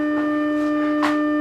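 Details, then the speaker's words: Music & Sound MC602 radio intercom master, 300 Hz tone at 300 mV peak-to-peak fed into amplifier, heard at master station speaker: steady low tone with buzzy, edgy overtone instead of clean sine; amplifier distorting. "you can hear the tone that's a 300 HZ tone and the signal being fed into the amplifier is 300 molts Peak to Peak"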